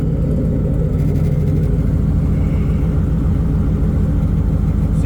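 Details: 2004 Mazda RX-8 with a 2006 Ford 4.6L 3V V8 and new true dual exhaust, idling after start with alternator on; deep steady even V8 rumble, no misses, knocks or ticks; normal idle.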